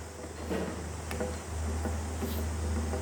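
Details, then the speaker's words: Desk or floor fan: steady motor hum with irregular clicks and knocks as worn oscillation gear teeth catch and slip, so it swings stop-start; fixed with cable ties pulling the gear into mesh. "หมุนนะครับแต่ว่าหมุนอ่ะติดๆดับๆนะครับ"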